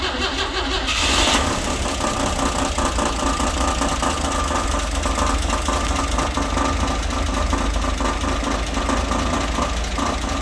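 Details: 1960 Grumman Olson Kurbside step van old petrol engine idling after tune-up and new hoses, belt, thermostat and coolant; fast tinny rattle on the beat from valve cover with loose bolts.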